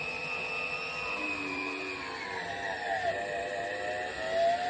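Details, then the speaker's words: 1937 valve seat grinder cutting a valve seat in a 1937 cylinder head during overhaul, stone oscillating around the seat on a collet-locked pilot; high motor whine sagging as the stone bites, light rasp; normal seat grinding. "You can hear it just touch there. So we're going to let it do a couple, see this oscillates, so I'm going to let it do a couple of passes all the way around."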